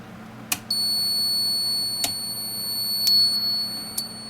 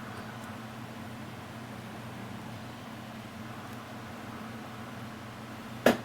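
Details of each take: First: Koolance TMS-200 fan/pump controller before repair, cold boot: shrill high-pitched beeps about every second and a half over a faint low hum, the controller's beeper sounding its cold-boot alarm. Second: Koolance TMS-200 fan/pump controller after the cold-boot beep fix, testing fan and pump headers: soft steady fan whir with only a couple of faint relay clicks and no beeps; controller driving fans normally.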